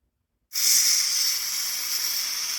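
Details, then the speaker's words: SodaStream CO2 refill from large tank: big tank valve closed, then trapped pressure bled from transfer line, giving sudden steady high-pitched hiss that slowly eases; normal bleed-off. "first off before we do anything close this big tank even though I had this closed I still want to close the big tank now we'll let out some pressure in the line"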